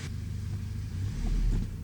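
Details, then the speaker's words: 1997 Toyota Tacoma 2.4L four-cylinder with new Toyota injectors fixing the misfire, at operating temperature on a test drive: a deep steady rumble building smoothly under throttle. No hesitation or stumble, fuel trims are good and there are no trouble codes. "no hesitation when accelerating that's good"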